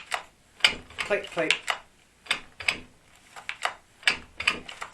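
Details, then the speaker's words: Neglected, abused Stihl 361 chainsaw turned slowly by hand, not running: sharp, uneven clicks; owner thinks it's a sloppy piston, or possibly a big end on its way out, and plans to investigate further. "I think it's a sloppy piston."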